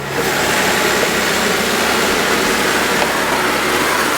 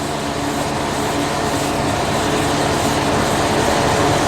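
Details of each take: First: Fire engine parked in neutral with park brake set, pump engaged and then drive selected: engine note changes slightly then holds a steady, even run under a constant airy rush, no knocks or surging; normal running with pump engaged. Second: 2016 Pierce Velocity fire pumper in pump gear, pressure gauge reading zero, no water in pump; engineer priming to restore water. Loud steady roar with faint rhythmic clatter underneath; loss of pump prime.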